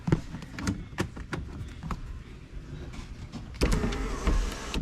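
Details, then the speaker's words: 1999–2005 Pontiac Grand Am sunroof, which closed crooked and clicked, running with the mechanism exposed. Motor whirr with repeated clunks and clicks, jerky rather than smooth. The panel binds and runs crooked, which the owner suspects causes the fault. "I'm definitely curious. That definitely ran crooked, I think. Which is probably why."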